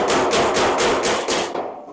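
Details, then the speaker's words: Panel beating a 1956 customized International cabover pickup, dolly bridging a collision high spot while hammering the low spot, about 38°F: about six quick hammer blows ringing hollow off sheet steel because the hammer and dolly are not yet meeting. "an interesting thing I don't know if you'll be able to register the tone but you'll hear the hammer hitting the steel as a hollow thing and then you'll hear that that's when they meet"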